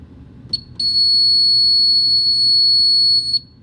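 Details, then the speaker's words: Superyacht fire alarm system taken out of test mode after the panel reset, with one final test to confirm it sets off the actual fire alarm: steady, piercing high tone for about two and a half seconds that cuts off cleanly, the sounder working normally. "Now that the system is back up and running, I like to do just one test to see that it does in fact set off the actual fire alarm."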